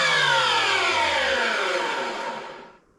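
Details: Workshop chip extractor, a few years old: loud shrill rushing screech sliding down in pitch as the motor coasts to a stop; owner suspects a worn motor bearing, unconfirmed.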